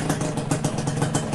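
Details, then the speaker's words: Suzuki Satria two-stroke after engine rebuild with new parts, earlier klak-klak noise suspected from the connecting rod now gone; quick even popping idle, slight remaining noise possibly from the clutch housing: normal idle. "Jadi sekarang udah suaranya hilang cuman masih ada suara dikit dari kayaknya dari rumah koplingnya cuma nggak papalah a terlalu parah"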